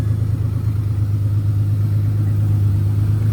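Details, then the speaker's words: J35-powered RFR two-seat sandrail after fixing fuel delivery, with three bad injectors and very old fuel, run briefly without coolant: deep, even idle with a steady pulse, no stumbles; all six cylinders firing. "Sounds like she's running on all six."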